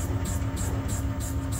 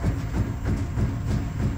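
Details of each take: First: Opel Zafira C Tourer ZF CDCe (IDS+) adaptive MacPherson damper on the test bench after repair: a steady low mechanical hum with an even repeating cycle and no knocks or clatter; adaptive functions working normally. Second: Opel Zafira C Tourer IDS+ adaptive front shock absorber (ZF CDCE), leaking oil from the piston rod, cycled on a test bench before repair: steady deep knocking about three times a second as damping force suddenly disappears past about 230 kg, rod moving through vacuum.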